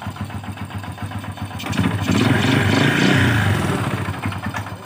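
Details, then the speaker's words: Honda Supra Fit/Legenda/Revo-type small motorcycle engine with a dull, regular "klotok" knock at idle growing louder when the throttle is blipped; mechanic suspects connecting rod, not valves or cam chain, unconfirmed. "kalau digas itu makin kencang, jadi pengalaman saya kalau bunyinya klotok gitu ya. Kalau digas makin kencang biasanya dari stang seher."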